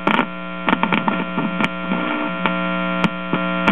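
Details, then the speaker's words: 1946 Belmont 78 rpm record player amplifier: steady low buzz with even overtones and a few clicks; mainly mains hum pickup plus slight filter hum, amplifier otherwise working. "actually that's more hum pickup than anything else"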